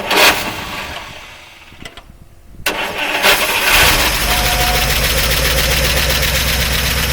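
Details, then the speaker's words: 1953 Oldsmobile Rocket Super 88 barn find, off the road about 20 years, first start after brakes, tires and new exhaust; fuel pump on, generator not charging: a sluggish, uneven crank from the disliked starter, then it catches into a steady, rough-edged idle. "we don't have any charging on the generator but the battery should be charged enough it should be good so turn the fuel pump on hate that starter this may never get off the ground"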